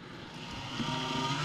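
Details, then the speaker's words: PC case fan spinning back up after being stopped by hand: low hum with a thin whine that swells, worn bearing dragging when rotation speed is slow and uneven; case fan bearing noise. "이게 회전수가 일정하게 나와야 되는데 회전수가 회전 속도가 느리면 이런 증상이 보여요"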